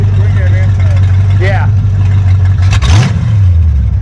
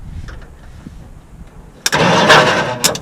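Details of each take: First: 1959 Ford Fairlane demolition derby car with a fuel-injected 5.0 302 V8 from a 1987 Lincoln Town Car, sitting for months, started after only a battery fix: fires straight up into deep even idle, clean smooth throttle blips; normal running. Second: 1959 Ford Fairlane demolition derby car with 1987 Lincoln Town Car 5.0 302 EFI, after sitting: loud churning crank of about a second with a brief catch that dies; turns over but won't start, starter not frozen, batteries suspected weak.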